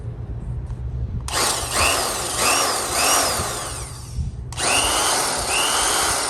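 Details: Vintage Skil Model 598 drill, which had shocked its user through the handle, on test run after gearbox reassembly and greasing: two clean spin-ups to steady high whine, smooth wind-down, no grinding; runs healthy.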